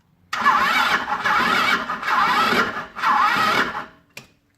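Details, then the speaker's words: Jialing 125–130 cc four-stroke scooter engine, unused outdoors for five years, revved in bursts with a rough rattling knock deep in the crankcase; owner suspects failed crankshaft main bearings. "там короче каленвала скорее подшипники коленвала накрылись"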